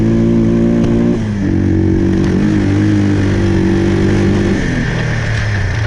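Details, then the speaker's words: Timberwolf four-wheeler with Mikuni carburetor after stepping up main jet (110/115); engine revs up and drops back with slightly soft, lazy note; running a tad rich as intended, before needle adjustment. "it was actually running all right think it's actually running just a tad bit rich now and that's exactly what I wanted"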